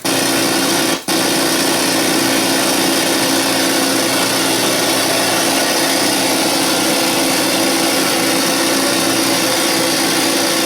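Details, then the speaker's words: Sony EVS-7000 Hi8 VCR playing a tape with PCM sound: loud harsh static hiss with buzzy hum and a brief dropout; audio static and garbled, no PCM sound, possibly an alignment problem. "well they say it's got distorted sound but let's find out [Music] oh yeah the sound is very bad"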